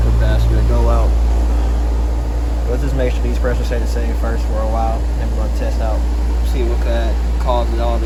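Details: Rooftop HVAC unit just after replacing a bad capacitor: compressor restarts with deep steady hum, even drone, no clicking or stalling, pressures returning to normal; compressor running normally.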